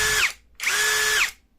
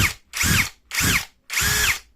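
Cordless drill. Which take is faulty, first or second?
second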